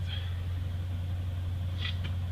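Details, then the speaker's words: Truck with Quadrajet carburetor and mechanical fuel pump, run the day before, cold start still well below freezing after an overnight low of about 25 and one pump; deep, steady fast idle with some cold smoke, no misses or ticks; normal cold-start high idle. "high idle starting today amid some cold smoke"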